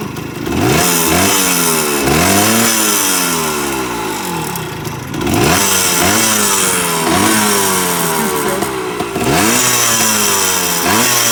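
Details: Restored 1978 Kawasaki KE100 two-stroke, started on a roughly 90-degree humid day, spark arrestor missing. Crisp ringing crackle climbs cleanly through repeated throttle blips and drops back without stumbling; healthy, responsive engine.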